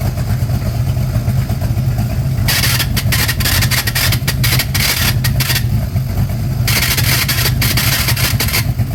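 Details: De Tomaso Pantera GTS V8 at idle: bursts of metallic chattering rasp come and go over the lumpy rumble. This is clutch release bearing noise, and both new replacement bearings were faulty.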